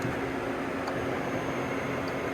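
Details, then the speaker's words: Matsuura MC 510 V CNC machining center homing out: a steady, even whir as the axis travels and homes by itself, with no knocks, grinding or catches; axis motion smooth and normal. "Homes out, you can hear the axis were nice and smooth, no problems."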